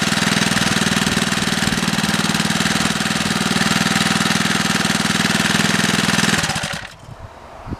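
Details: Small single-cylinder 3HP engine (replacement engine on a Wheel Horse tractor, possibly aluminum casting) after oil-leak gasket installation: even, rapid popping beat about four per second, steady before shutdown, no knocks or misses; normal running.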